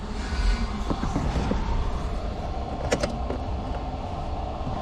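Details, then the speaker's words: Hyundai H100 CRDi diesel pickup, 215,268 km, idling: loose, uneven metallic clatter and scattered ticks over the rumble from a slack timing chain slapping its guide, before chain replacement. "H100 kamyonet yine kasa araca zinciri gümbür gümbür vuruyor"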